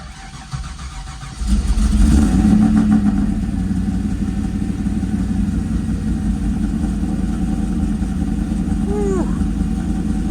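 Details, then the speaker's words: Rebuilt previously blown-up LS V8 with new tune, first start: cranks briefly, catches and settles into a steady even idle with no knocks or misses, running rich at 11:1 AFR, oil pressure 50 psi; normal start-up and idle. "all right it runs 11-1 pretty rich sounded really good"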